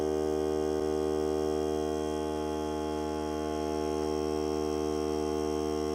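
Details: Hart cordless air compressor during break-in run on a fully charged battery (30 minutes or until the battery dies), pressure around 30, hose connected; steady even hum, constant pitch, no hiss, no leaks heard, normal running under load.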